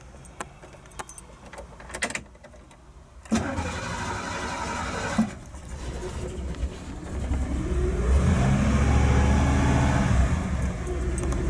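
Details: Hot-soaked carbureted engine restarted after a ride on a sunny 95°F day, carburetor very hot, radiator fan not on; short cranking, then it catches and settles to steady idle without vapor trouble; normal hot restart.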